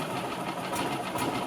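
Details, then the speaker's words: 2000 Yamaha G16 gas golf cart, cold start the next day after sitting since 2013, with no air pre-filter installed: engine fires right up and settles into an even, steady putter with no misses or knocks; normal cold start. "so it fires right up"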